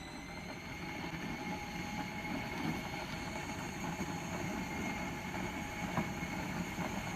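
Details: Trax Viper ride-on power wheel converted from 16 V to 24 V with two 12 V batteries in series, full-speed street test run: steady even motor whine over wheel and road rumble; much faster, healthy normal running.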